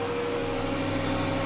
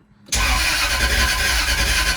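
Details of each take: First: Jaguar S-Type V8 on its first start after a replacement engine, alternator belt not fitted, about -10 °C: low, even, quiet idle on all eight with no misses or knocks; heavy smoke at first, then clearing. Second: Jaguar S-Type V8 with new engine, first start attempt, cylinders filled with WD-40, new plugs: even starter cranking about three to four beats a second with no firing; suspected crank position sensor connectors swapped, then switched.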